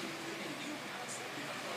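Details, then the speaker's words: Fan (about 49 W) powered via pure sine wave inverter: quiet even airy whir, no buzzing or hum unlike on modified sine; motor running smoothly. "so we have the pure sign inverter hooked up the fan is running nice and smooth no humming noise"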